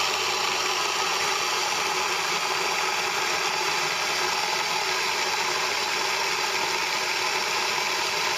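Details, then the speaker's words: Small home stone grain mill (Moulins d'Alma) grinding sieved grain into wholemeal flour; steady even rushing hiss between the stones with no knocks or rattles; milling normally. "on a voulu notre grain on va pouvoir aller faire notre pain tout à fait normalement notre pain intégral bien sûr"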